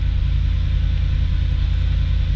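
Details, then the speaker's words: 2009 Audi S5 4.2L V8 at 92,586 miles, fires right up after a push-button start: smooth, even low idle rumble with no misses, ticks or knocks. Normal, healthy idle. "That doesn't make much sense, but 92,586 miles, fires right up."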